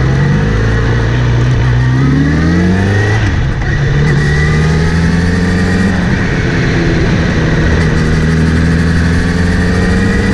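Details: Kawasaki Z900RS after chain cleaning and relubing, chain tension checked OK: whirring tone rising and falling with revs when accelerating or in gear, seemingly from the front sprocket area; drivetrain whir of unknown cause.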